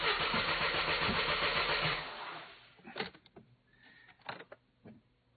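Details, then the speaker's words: Mercedes C220 that ran poorly with a cylinder 3 misfire, then died on the highway: starter cranks steadily about two seconds but it never fires, no fuel pump buzz heard despite half a tank; fuel problem suspected, not confirmed. "and I don't hear any fuel pump buzzing nothing not a kick nothing nothing nothing"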